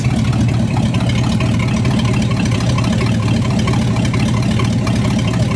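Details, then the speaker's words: 1975 Chrysler Australia CJ with Mopar 360 V8, idling and warming up after fuel leaks were tightened. Low, lumpy idle with an occasional uneven beat, an intermittent misfire; the rear cylinder reads cooler than the others. Cause suspected, not confirmed. "Sounds like it's got a bit of a miss at times. So, just going to go through and check the rough temps."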